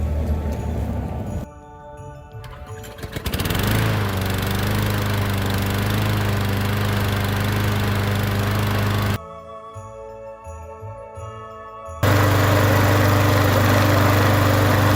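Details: Lawn mower on its last test run after a new carburetor, new air filter housing and filter, and fresh oil: under music it fires up and holds a steady, even beat with no stumbling or surging, running healthy.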